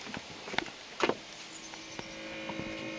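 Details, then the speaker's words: Grady-White 20' Overnighter boat after swapping in a 20 amp fuse: a faint steady hum settles in below deck under a few clicks and stays even; bilge pump now works normally. "hear it humming down there, so the bilge pump now works."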